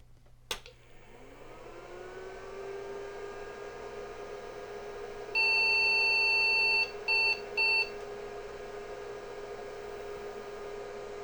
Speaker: we just have a 301 and a 601 error the others went away that's good news